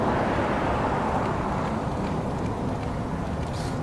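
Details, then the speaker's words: 1985 Honda Gold Wing 1200cc, sat five years, on a battery charger with gas poured into the air box: starter churns slowly at about three beats a second and never catches; battery dragging. "see what she does batteries dragging hmm"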